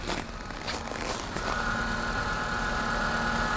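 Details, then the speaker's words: Renault Arkana manual, cold idle after a frosty start following about -21°C overnight: even idle with a faint steady high whine, which the owner attributes to gearbox bearings, and no knocks or ticks; normal cold idle. "так внешне конечно завелась и завелась никаких выразительных шумах никаких стуков"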